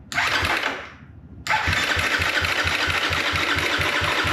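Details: 2024 Gas Gas MC250F after Vertex piston install, soda-blasted cylinder head, replaced broken starter idler gear and rebuilt starter with loose brush bolt, first start after reinstall: quick first catch dies, then fires into crisp, steady, even idle, no knocks or rattles.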